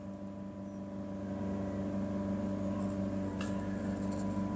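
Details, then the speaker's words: Mazda3 Skyactiv BN, about 75,000 km, on a test drive: a steady drone that is clearly heard when revs are held at 3,000 rpm, with no knocking. Source unconfirmed; the belt pulleys and front engine bearings are to be checked. "230ใช้ได้แต่ถ้าเร่งค้างไว้ที่3,000เนี่ยจะได้ยินเลย"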